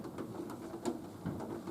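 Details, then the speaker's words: Nautilus U614/U616 exercise bike: soft, irregular dull knocks two or three a second from the pedal while pedaling, worsening the longer it's ridden, fading and returning, quieter under heavy foot pressure; source suspected, not confirmed. "The longer you pedal, the longer I pedal, the worse it gets, and then it starts to disappear, and then it comes back"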